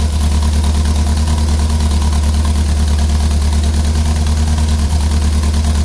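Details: Ford Pinto at idle: a loud idle with a regular stumble about three times a second breaking the exhaust beat; one cylinder is misfiring.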